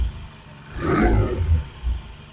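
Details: 1968 Triumph T100C twin, about 400 miles on the engine, owner reports recent smoke, cold start: short throttle blip rises cleanly, drops back and idles evenly with no knocks or rattles; seems to be charging, no vapor yet; healthy.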